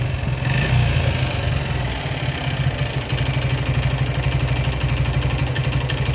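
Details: Suzuki Gixxer motorcycle with engine noise, piston rings addressed in repair: rough uneven low thumping at idle with mechanical clatter on top; noisy internally, exact cause unclear.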